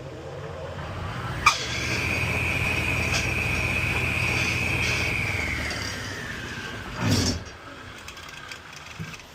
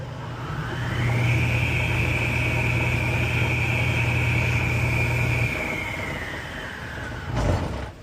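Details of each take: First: 1 hp 3450 rpm GE capacitor-start table saw motor with bad 6203 bearings: high, steady whine over a coarse low rumble as it spins, then sags and dies away, not spinning freely; worn motor bearings. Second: Table saw's 1 hp 3450 rpm GE motor after 6203 bearing replacement: smooth hum, whine climbs to speed and holds, then winds down evenly with a sound at stop; bearings healthy, no grind or rumble.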